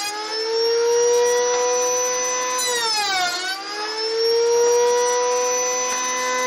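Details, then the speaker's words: Router cutting slots in reclaimed timber for a shed storage rack: loud steady high whine that dips and recovers as the bit loads up in the cut; very noisy, owner suspects the bearings are going; loud high-pitched whine. "That is noisy. I didn't hear it with the earmuffs on. I think the bearings are going in that rotor, to be honest."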